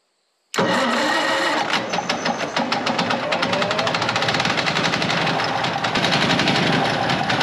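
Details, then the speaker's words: Gasoline pony motor on a late-1940s/early-1950s Caterpillar D6 cable dozer, a barn find that sat for years, first start: it catches instantly and runs loud and fast with an even popping, before the clutch is engaged to turn the diesel. Normal running. "on top of that thing wow it is noisy next step is to engage the clutch and turn the engine over"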